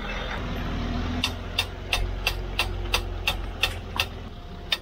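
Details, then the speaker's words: Land Rover Discovery 3 2.7L TDV6 after major engine rebuild and 2000 km shakedown, on test drive: sharp metallic ticks about three per second from one side over road and engine hum, cause unclear. "W it's definitely on that side it's coming very oh my God"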